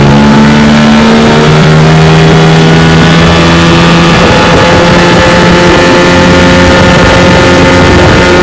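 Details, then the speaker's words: 1992 Evinrude 15 HP outboard on a John boat, after about 10 minutes running wide open at about 18 mph: strong, steady high-rev drone with clean pitch, no misses or rattles; never slipped out of gear, runs healthy, normal. "Been running it for about 10 minutes wide open. Pushes my John boat about 18 miles an hour."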